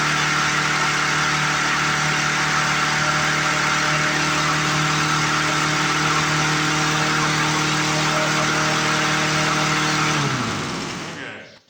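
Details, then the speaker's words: 1997 Lawn Chief push mower on its first start, without carb cleaner: the small engine holds a steady, high-pitched, fast run with no dip or hunting, then winds down and stops, so it is overspeeding; cause unconfirmed. "Sounds like she's running a little bit high."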